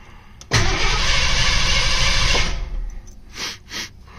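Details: Mustang first cranked after winter storage and new spark plugs, coil wire off to build oil pressure before firing: even, steady cranking about three compressions a second for two seconds with no firing; oil pressure came up, it cranks healthy.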